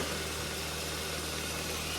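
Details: Nissan Sentra B14 EX saloon idling after a crank-no-start: steady, low, even idle with no knocks, but it still needs a street tune.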